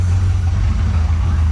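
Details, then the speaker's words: 1986 Trans Am 305 V8 with E4ME Quadrajet, after replacing intake gaskets and carb work for vacuum leaks; check engine light on, owner suspects throttle position sensor; warm idle, deep steady rumble, even beat, no misfire, needs adjustment; normal idle. "Don't sound like it's missing. I don't know, some of you guys that have commented on this are very knowledgeable in these cars, and one of you guys might be able to help me out with this. But so far so good. I mean, it's sitting here running. Needs a lot of adjustment."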